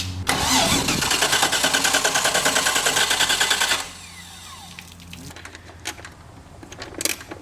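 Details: Boat motor with temporary fuel line through a water-fuel separator into the tank: steady starter cranking at about three turns a second for nearly four seconds, never catching; cranks but won't start.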